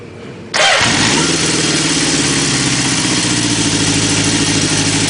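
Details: 1976 Honda CB750A automatic, previously running a little rough, started after changing the ignition points: starter catches quickly, engine settles into a steady even idle with no misses; normal idle.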